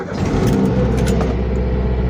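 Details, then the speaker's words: Toyota Avanza fuel-injected engine started without throttle after fuel pump hum finished: brief crank, then steady even low idle without misses or knocks; all warning lights out, normal start. "nah ini mesin mobil sudah menyala ya teman-teman Dan ini indikator ketika mesin menyala itu indikatornya sudah mati semua bahwa ini tidak ada sensor yang hidup itu artinya Mesinnya tidak ada masalah ya"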